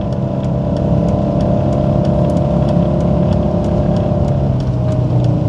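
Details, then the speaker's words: VR5-engined car in first gear at low speed: the engine drones heavily with a light tick about three times a second, straining against seized front brakes that are dragging fully on; smoke follows. "yeah this is brakes are on and now they're completely on and i'm you know in a terrible spot"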